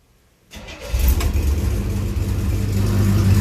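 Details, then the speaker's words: 1967 Chevrolet C10 V8 after camshaft and lifter change, restart: quick crank and immediate catch into a strong slightly lumpy idle, starts easily; lifters still need readjusting, running a little rich. "so uh I bear could be careful doing that yes well she starts easy"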